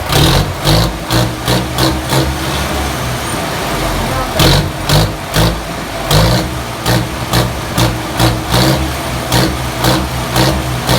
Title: Engine sound check ripair genuine Crank #shorts